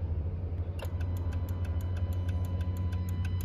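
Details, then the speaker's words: 2015 Jeep Cherokee KL with code P0480 (fan circuit 1 open): the OBD tool commands the cooling-fan duty cycle and the fuse box (TIPM) relay clicks about four a second over a hum, sending power down the blue wire. Normal; the fault was later a sand-jammed fan. "you can hear you can hear the fuse box clicking and you can see the power going so you can assume that the connection between the fuse box and the wiring it's okay"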